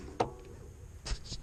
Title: SRAM NX cassette clicking noise